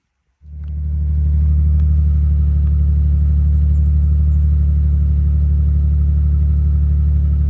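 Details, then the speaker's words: 2007 Dodge Magnum 3.5 V6, cold start: a low-rumble idle with a faint repeating stumble about four times a second. This is a misfire traced to cylinder 3 (P0303), where a loose or popped-out coil connector is suspected. "I've noticed recently that uh after starting it when it's cold if sounds and feels like it's misfiring so I'll start it up and uh let you know what that sounds like"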